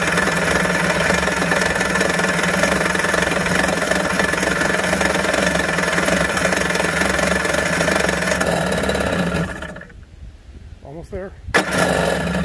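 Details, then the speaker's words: 1991 Kawasaki 550SX two-stroke jet ski, first start after five or six years' storage with fogging spray in the cylinders and fuel stabilizer, run briefly on half choke without cooling water; busy steady crackle that dips and picks back up, running normally. "six years later starts up like a charm"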